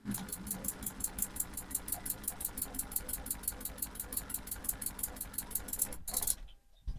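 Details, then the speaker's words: Jabsco water pump on a water system with no accumulator tank, tap opened slightly then more; fast even clatter about six ticks a second then stopping, very noisy, owner thinks it harms the pump: rapid cycling, accumulator being fitted. "you kind of get the idea of what that sounds like it doesn't sound great and I'm pretty sure it doesn't do the pump any good either"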